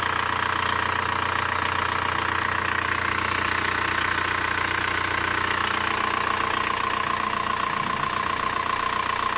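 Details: VW Bora 1.9 TDI diesel at idle: steady light ticking about two to three a second over the normal diesel clatter.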